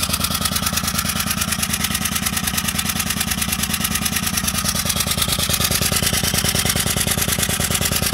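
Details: Citroën C2 1.1 petrol at idle with vibration and power loss: loud, sharp, regular chuffing about three times a second with shaky running.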